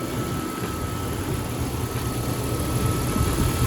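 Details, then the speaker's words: Older used car at idle after a slow, laggy start, battery possibly weak: steady smooth low rumble with no ticks or knocks; normal idle. "it doesn't sound bad it doesn't have any unusual ticks knocks nothing like that it sounds pretty smooth"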